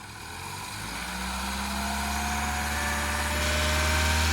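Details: Peugeot RCZ at full operating temperature: smooth, quiet idle that builds a little and stays even with no ticking or knock; the earlier suspected big-end rattle is gone.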